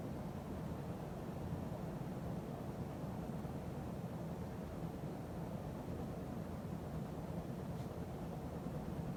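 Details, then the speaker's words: 1980 52" Emerson Heat Fan ceiling fan after blade balancing and bearing replacement: steady even whoosh with no clicking or bearing noise, only occasional buzzing from the solid-state speed control; normal running. "It still wobbles a little bit, but not as much as it used to. And there's no more noise, no clicking noise, no bearing noise. Just sometimes buzzing noise, which is common with solid state speed control."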